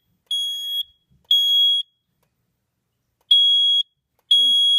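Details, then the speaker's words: Smoke-tested Cosmo 2W detector, zone 3: shrill half-second beeps about once a second with an uneven gap; its buzzer is out of sync with the system sounders and doesn't silence with them, still loud despite tape. "hear there's a buzzer on this, and it's definitely not synced up with the others. And it doesn't silence when the other silence beat is on"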